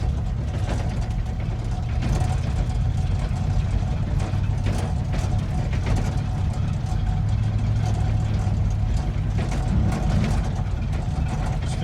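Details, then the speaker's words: 1972 Chevy C20 automatic on the road in D, never driven for months, bed unbolted: engine drones at one steady pitch with rattling over road noise, never drops back at 10–20 mph; transmission won't upshift, stuck in first. "no shiftage yeah that's annoying let's see if we can uh ship it on our own no chance of shifting man there's some noises i ain't ever heard in this holds thing"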